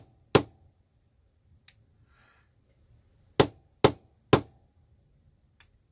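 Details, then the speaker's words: Original Clapper sound-activated switch on low sensitivity, two lamps plugged in, after repair; sharp hand claps each followed by a faint relay click as each outlet toggles separately; normal clap switch operation. "And that's that one over there. Cool. And you can control them separately. It works."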